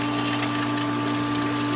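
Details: Hayward DE pool filter pump restarted on filtration after first backwash, pressure much lower; steady motor hum with constant tone over rushing water, no grinding or surging, running normally.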